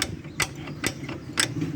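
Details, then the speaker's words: 2005 Chevrolet S10 Executive with the wheel removed: the loose front brake caliper is rocked by hand, giving sharp metallic clunks about twice a second; a fatigued bracket bolt after 20 years let the caliper hit the wheel when braking. "Só que quando freava aí, a pinça batia na roda aqui, ó. Acaba batendo na roda."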